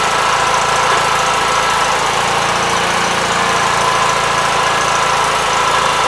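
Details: 1976 Gravely 816 single-cylinder engine running at a steady, even rate with muffled exhaust and no misfires or knocking, after a missing fuse and a wire jammed in the fuse holder were found; normal running.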